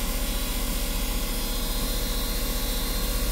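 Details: Westerbeke marine generator after capacitor replacement, now at 120 V, powering chargers, air conditioning and a freezer: steady, even diesel drone with no misses or knocks. Runs normally under load.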